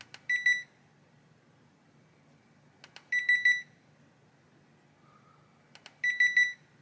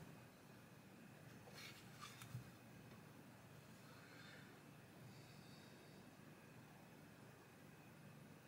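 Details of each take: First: Hisense air conditioner indoor unit board on the bench, powered in cold mode: bursts of quick beeps every few seconds from an otherwise quiet board as it switches itself off, traced to missing fan motor feedback. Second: Hisense air conditioner indoor unit board on the bench in ventilation mode with a known-good test fan fitted: quiet, steady fan hush for several minutes with no auto shutdown, confirming the original fan caused the fault.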